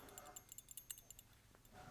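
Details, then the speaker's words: Keihin butterfly carburetor (1976-1987 Harley) after chemical and ultrasonic cleaning of paraffin-clogged accelerator pump passage: light quick ticking rattle as shaken, check valve ball moving freely in its passage. "the check valve, so this one might work."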